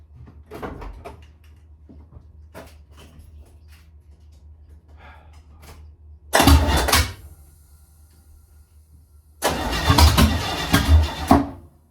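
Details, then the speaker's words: V8 junker daily after a Muncie M20 4-speed swap cranks in two rough bursts but won't start; ignition timing/distributor is 180 degrees out, fix is to pull and reinstall the distributor. "It's 180 out. Oh well. Pull the distributor and try again."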